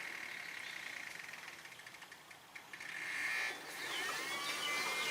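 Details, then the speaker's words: 2007 BMW X5 electric coolant water pump activated by ignition-on, fan minimum, heat maximum and throttle held 10 seconds, running with a faint, steady high-pitched hum and no gurgling or rattle; pump operating normally. "this should activate our pump so let's see if that's gonna happen there you go I can hear the pump running actually"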